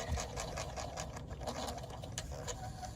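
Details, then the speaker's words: Old Carrier HVAC zone damper that may no longer close. Quick, uneven chirps and ticks over a low duct hum come from its worn, loose damper blade. "yeah I hear it kind of squeaking know if this thing's ever going to close you can see this thing worn slap out look at it"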